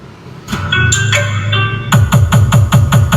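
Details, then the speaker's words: Sakura AB735 integrated amplifier: music clean and full with steady bass, no crackle, on the good channel, compared against the other channel, which is distorted. "Tingnan niyo or pakinggan niyo dito normal normal."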